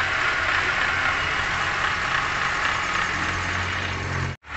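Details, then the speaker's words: 2017 Toyota Grand New Avanza Type G, engine warm at idle, with a rough, raspy "krek krek" whirring grind; located with a mechanic's stethoscope at the water pump and alternator bearing, and both are to be replaced. "ini kita simpulkan bahwasanya bunyi tersebut timbul dari water pump dan bearing alternator"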